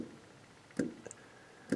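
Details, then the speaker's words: 1977 MGB Mark IV roadster, newly installed SU electric fuel pump, heard from under the gas tank: two crisp ticks about a second apart, pump slowing as it builds regulated line pressure; working normally, no leaks. "a little bit uh still pumping getting that pressure up to the regulated pressure"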